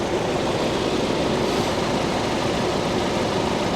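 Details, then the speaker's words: Small 2.0-liter 4-cylinder idling steadily, heard standing in front of it; sounds decent with no misses or knocks, no smoke and no visible leaks. "It sounds decent. No smoke. I don't see anything leaking."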